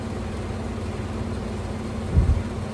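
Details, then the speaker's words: Window AC unit running: a steady low hum with a pulsing buzz and a brief rattling surge, sometimes louder. Fan imbalance vibration. "So I'm going to turn this on and let y'all listen to it. Y'all hear that vibrating?"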